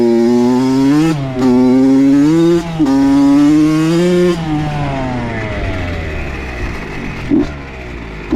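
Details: Honda CR80 two-stroke with a Keihin PWK 28 carb swapped in for the stock PE 28 after rich jetting issues. Crisp blips rise and fall cleanly, then fade as the bike coasts away, no misfire. It runs good, maybe lean; the spark plug was the real problem.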